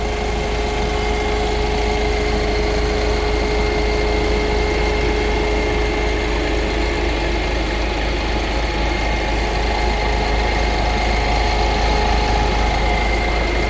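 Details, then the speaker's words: 2018 Ford EcoSport Titanium Plus diesel idling with bonnet open, AC on: smooth, even hum with no knocks or misfires; faint steady tone is the radiator fan running because of the AC; engine quiet and healthy. "Engine అయితే మాత్రం చూసుకోవాల్సిన అవసరం లేదండి, అంత సైలెంట్గా ఉందన్నమాట."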